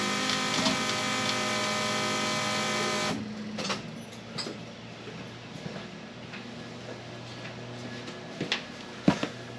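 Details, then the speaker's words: Trans Am fuel pump compared against the 1979 Camaro's loud one: with key on a soft, steady hum runs about three seconds then cuts off cleanly; quiet, healthy fuel pump prime. "So I believe the key's on. Can't even hear that one."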